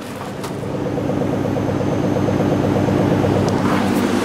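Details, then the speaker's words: Ford F-150 farm truck that had not run in three and a half years, just started on a battery: steady, even idle with a smooth regular beat and no knocks or misses; the engine runs cleanly. "guys she is running this truck hasn't ran in three and a half years"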